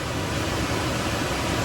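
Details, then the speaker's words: Nissan NV3500 rear blower motor, previously not working, tested after repair with the knob turned to full: a strong, even rush of air with no ticking, rattling or grinding, then it cuts away cleanly; the blower runs healthy. "I'm gonna start turning the knob. Oh boy. And crank it all the way up. Woo! She's a beast. Holy moly, I think it's gonna take off."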